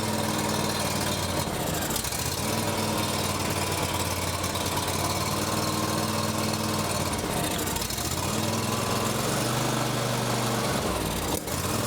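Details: John Deere X350 riding mower, sat for years, running on full choke: steady but labored idle that sags now and then. Only stays running on choke and is acting restricted.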